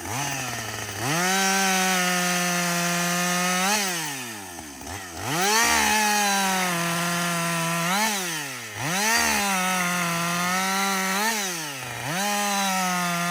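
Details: Husqvarna 562XP 60cc two-stroke chainsaw, reflashed by the dealer for dying when hot and failing to start, about two-thirds of a tank into bucking windfall: crisp scream to full revs, slight bog in each cut, clean recovery between cuts; normal running under load.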